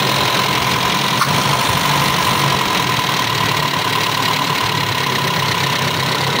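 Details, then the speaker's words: Toyota Kijang Super G engine after a half-engine teardown and rebuild, first start with coolant and oil refilled; idle holds but uneven lumpy beat under loud mechanical clatter, still slightly rough though no longer limping; rough idle. "masih ada kasar karena"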